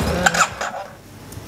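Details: 2009 Yamaha TMax scooter, neglected project, cranked while holding brake: starter spins briefly, engine coughs as if catching, then fades and won't run; crank no start blamed on worn spark plugs and failed fuel pump.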